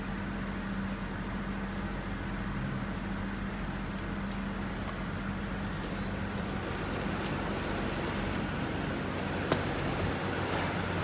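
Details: 2001 BMW 325i with a click-no-start battery problem, started on a jump starter: smooth, steady idle hum with a constant low tone and no stumbling or misses; engine running normally.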